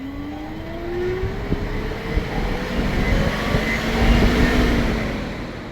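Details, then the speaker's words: Porsche Cayenne V6 diesel with no-power limp mode after DPF cleaning, engine off during diagnostic actuator test: radiator cooling fan spins up with rising hum, then holds an even whir; fan control working normally. "next one will be the actual um fan control unit should come on yep fans working"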